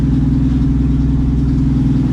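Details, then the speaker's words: 1951 Chevy pickup six-cylinder, 6-volt points system, running after 40 years abandoned in a field; low, smooth, even idle with steady rumble, no knocks or misses, about 20 psi oil pressure, charging. "Man, she sounds good. Thing's running like a top, man."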